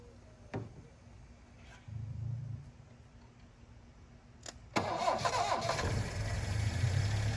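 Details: 1972 Plymouth Cricket (Hillman Avenger), sitting since 1989, first start with choke on: starter churns, coughs, then settles into rough but steady choked idle; carburetor obviously plugged, needs new spark plugs and carb cleaning.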